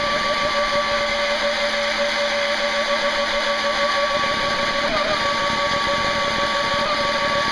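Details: Jet boat motor run on 3S battery; motor bearings rusty after boat took on water last run and weren't oiled, oiled afterward: motor slightly slower, shrill steady whine with rough gritty edge, worn motor bearing noise.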